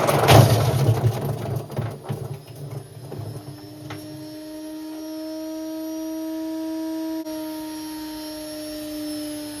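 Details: Indesit IWC71453 washing machine: heavy rumbling thumps settle into a loud, steady droning hum as the drum spins on worn bearings.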